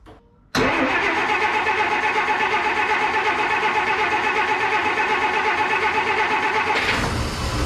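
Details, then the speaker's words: Abandoned 1953 Plymouth Cranbrook, unrun for 25+ years, fires up by itself and settles into a rough, stumbling idle with a clear misfire. The carburetor is leaking fuel. Owner suspects the broken plug wires and old plugs; cause not confirmed. "look at that it just fired up by itself sucking fuel through the carburetor definitely misfiring but it did fire up"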